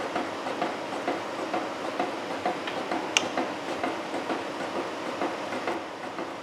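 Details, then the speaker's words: Horizontal mill face-milling a steam locomotive valve yoke, about 0.050 in cut: rhythmic knocking about twice a second through the cut; one insert cutting heavier than others, yet cutting well. "again sounds like I got one cutter doing most of the work but you know what we're going to roll with it it appears to be cutting really good"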